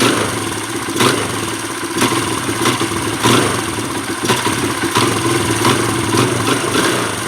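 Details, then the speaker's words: Kawasaki KLX140 warm, blipped about once a second: revs fall back flat and hesitant, still boggy after turning air screw half a turn richer; lean off-idle bog, pilot jet too small. "So it's still boggy, maybe a tiny bit better. That means that the pilot jet is definitely too small."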